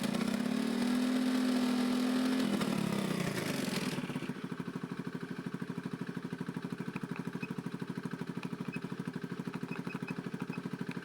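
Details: Honda Beat FI scooter brought in for stuttering and hesitation when throttled; during warm-up with engine at 67° (below working temperature) and ECU still in mode one, a short rev drops back to a steady, even idle of about three beats per second.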